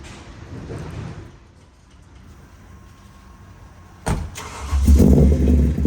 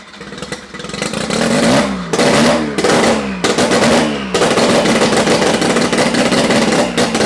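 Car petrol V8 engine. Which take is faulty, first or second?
first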